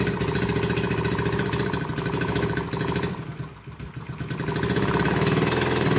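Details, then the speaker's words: Barn-find 1969 Honda Z50 Mini Trail, cold, choke half: small single sputters at an uneven, lumpy idle nearly stumbling; idle possibly set too low, suspected, and ran better once warmed up. "yeah no i haven't messed with that honestly you think it might need have the idol turned up"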